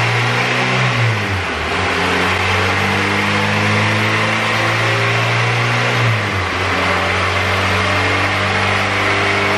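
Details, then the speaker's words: Turbo Honda B18C GSR on dyno rollers under boost: revs rise then suddenly drop and re-climb, stuttering badly; owner suspects VTEC or oil pressure issue, fuel and ignition timing changes didn't cure it. "So I think we have a VTEC issue, oil pressure, something like that, because it's just stuttering really bad. I don't know if you guys can hear it in the video, but it just stutters like crazy."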